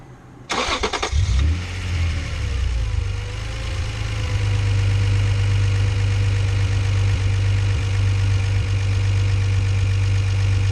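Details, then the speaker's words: Acura NSX at start and idle: gritty, rough whirring from the belt drive; AC compressor or idler suspected, noise unchanged with AC on, traced to a worn idler pulley bearing felt rough when spun by hand. "no noise probably the ac compressor or the idler you hear the greediness it's like idler's [ __ ]"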